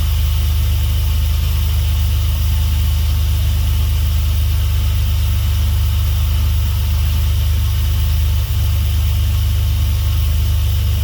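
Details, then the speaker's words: Swapped Dodge 3.7 V6 in a truck, idling after the engine was torn down for new crank and cam reluctor rings to fix a no-start. Steady low drone with an even idle beat and no knocks or misses. "As you guys heard, it fired up. So that's good."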